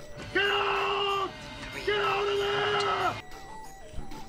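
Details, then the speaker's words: Apollo Vampire V4 Amiga accelerator running CoffinOS with its top off, during the AIBB benchmark after an earlier crash: two long steady mid-pitched beeps, about a second each; an unexplained warning tone the owner had never heard before. "and now the vampire v4 is making a beep tone can you hear that"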